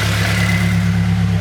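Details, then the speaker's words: Nissan Silvia S14 SR20DE naturally aspirated engine just turbocharged, first startup, can't rev past about 3000 rpm: steady even low rumble at idle, no knocks, ticks or hiss, quieter than before with the turbo; no leaks so far. "It does sound like quieter, like idling."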